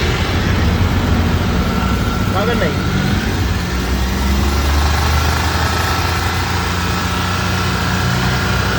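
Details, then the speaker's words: Maruti Suzuki Alto at idle after silencer repair: steady low, even exhaust drone with no beat or rattle; the earlier beating sound came from a broken silencer barrel with broken internal baffles, now fixed and back to normal sound. "සද්දේ ආයි තිබුණා sound එකටම ඇවිල්ලා තියෙනවා. සාමාන්‍යයෙන් beat එකක් ගහලා වගේ තිබ්බේ බැරල් එක කැඩිච්ච නිසා."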